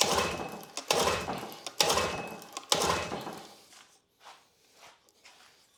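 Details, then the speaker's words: Grandfather's old Evinrude 6 hp Fisherman outboard (bought 1991, from a barn), new 3/8 fuel hose, choke on. Hard recoil pulls with no firing. It isn't getting fuel; the inlet was found completely clogged. "Well, it's gonna fire. I don't know if it's getting fuel though. I would argue it is not getting fuel."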